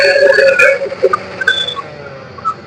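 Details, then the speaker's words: Mixer grinder, opened for repair, that keeps cutting out: high motor whine stops suddenly under a second in and fades to near silence. Carbon looked fine at first, but later check showed a slight spark near it. Intermittent cut-out from worn carbon brushes. "यह बंद हो गया। ठीक है? सही? यह कभी-कभी बंद और चालू हो जाता है।"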